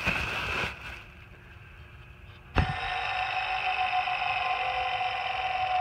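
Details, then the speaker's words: Old serpentine belt tensioner removed from a 2008 Ford F-250 is spun by hand: a sharp flick, then a rough, gritty whirr as the pulley spins down. A bad bearing is suspected as the cause of the grinding. "that was successful now the reason all this started was because this old one was making a bunch of noise I don't know if you'll be able to hear"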